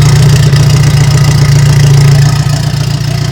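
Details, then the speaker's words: Turbo VW Beetle after replacing a blown exhaust gasket, cold-start idle still warming up: steady low rumble with an even beat, the earlier ticking gone, and AFR reading right; normal idle. "is still warming up but you can't hear anymore that's so far my afr looks right"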